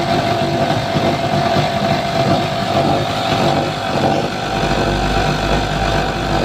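Small single-cylinder engine holds a steady running note with no surging or hunting; it runs smoothly and sounds healthy.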